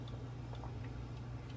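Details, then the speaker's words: Presto 15 PSI pressure canner, lid locked on a high gas flame about 20–25 minutes in, no steam yet. Steady burner roar with soft ticking and faint bubbling; normal heating before venting. "And we still don't have steam. I was serious when I said it takes a long time. I've got a good flame going. But if you listen, you can kind of hear it bubbling and ticking."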